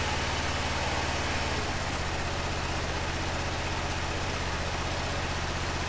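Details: 2005 Honda TRX650 Rincon, 650cc single four-stroke, revived non-runner, just started cold on choke in neutral: a steady, even low thump with no misses, knocks or hunting. Healthy idle while warming up; the carb may need fine-tuning.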